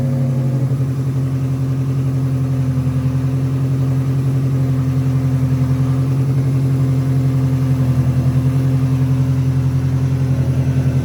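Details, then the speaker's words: Integra after the vacuum leak repair, with carb cleaner sprayed around the intake: a smooth, even idle with a steady low throb and no dips or hunting. The spray no longer affects the engine, so the leak is fixed. "now we're gonna spray it is no longer affecting anything"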